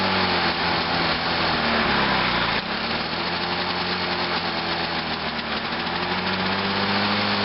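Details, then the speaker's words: Lawn-Boy mower with Walbro carburetor just after carburetor cleaning, started on choke in cold weather: small engine buzzes fairly evenly with a slight early speed dip from the cold, then settles; runs perfectly. "yeah she just runs perfect it's kind of hesitating a little bit because it is a little cold out here"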